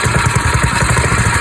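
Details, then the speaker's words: Rebuilt "blown up" Predator 212 small engine running on its stock exhaust. Steady, even putter at a quick regular rhythm with no misses or knocks; runs smoothly. "So I got the engine running, and I do got the stock exhaust on for right now, but"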